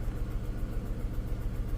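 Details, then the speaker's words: Skoda Fabia (year unknown), idling with cylinder 1 still dead after swapping plugs and coils: rough idle with a lumpy, uneven low thump skipping every cycle; caused by a broken exhaust valve. "як бачимо У нас знову первий не працює знову Ми вертаємося до першого циліндру"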